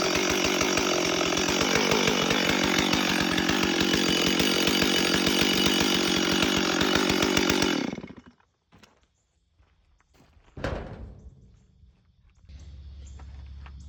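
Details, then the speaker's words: Stihl MS 440 chainsaw after intake boot replacement, started on high idle and choke: fast steady buzzing idle about eight seconds then shutdown; chain keeps turning at idle. "Alright, so as you saw, when I started it up and ran it, the chain was spinning"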